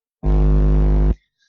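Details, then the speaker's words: Computer microphone recording: steady low mains hum with buzzy overtones, unpleasant drone rather than noise; caused by an ungrounded outlet or ungrounded system unit. "Я начал снимать видео и услышал какой-то гул. Вот, они просто гудут. Не то, что, да, там какие-то шумы, а просто вот такой вот противный гул."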